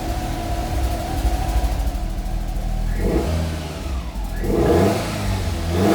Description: Fiat Coupé 1994 16VT rough idle, exhaust leak and almost cutting out.